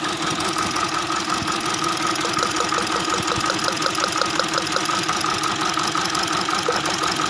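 The idle sounds uneven, with a choppy pulsing of about three beats a second instead of a smooth hum; the engine is idling rough. Cause suspected, not confirmed.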